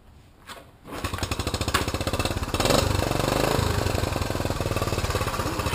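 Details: 1980 Honda CT110 single-cylinder four-stroke, 4864 on the odometer, just started: steady even putter at idle; runs well.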